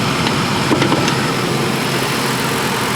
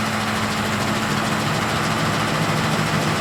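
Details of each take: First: 2007 Ford F-150 Lariat 5.4L Triton V8 at idle, hood open: steady, even idle with no rattle or tick. The VCT cam phaser rattle appears only at 800–1,200 rpm. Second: 2007 Ford F-150 Lariat 5.4L Triton V8 at about 800 rpm, hood open: busy metallic rattle over the engine note from the VCT cam phasers, which rattle between 800 and 1,200 rpm.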